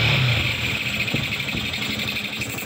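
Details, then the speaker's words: Yamaha Sniper 155 just after timing chain tensioner replacement, fuel filter and FI cleaning, first fire with airbox still open: steady idle with loud hissing intake roar from the throttle body, no knocks or rattles. Normal running, noise is open airbox. "Yan ang ingay niya. Lagi kaya ito tumutunog ng ganito kasi bukas pa yung airbox niya."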